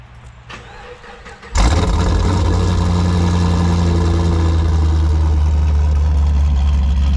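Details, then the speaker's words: 2008 Pontiac G8 GT V8 after E85 kit install (ethanol sensor, injectors, tuning), now on E85: starter catches cleanly and it settles into a strong, even, deep idle rumble with no misses. Normal running. "sounds good so far yeah that sounds good i think we're going to be pretty close with that"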